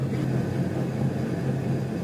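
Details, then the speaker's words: Truck damaged towing a new trailer, driven slowly with no load: a low, steady growl with a slight throb from the rear axle, suspected worn pinion bearing in the rear differential; transfer case heard no noise. "dude that's saying something if you can hear it with no load on it going this slow the good news is there's no noise that I can hear coming from the transfer Cas"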